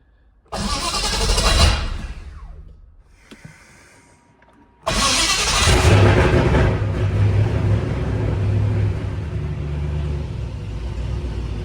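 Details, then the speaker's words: M117E55 V8-swapped Mercedes W115 240D during rewiring, coil crudely fed switched 12 V with old wiring bypassed: long labored cranking stumbles and dies, then catches into a steady rumble; flooded engine clearing and running. "Yes, she was flooded. Well, it runs with all that bypassed, so that's a great start."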